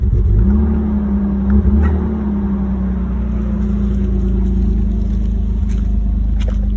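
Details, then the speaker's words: Nissan Skyline R31 started after a long layoff, no exhaust tip: low idle with an uneven, wavering beat that sags as if about to stall, then barely recovers; rough idle close to stalling. "oh that sounds horrible we gotta go in let's go [ __ ] yeah i'm gonna let her idle for a little bit oh no she's dying she's dying stay alive"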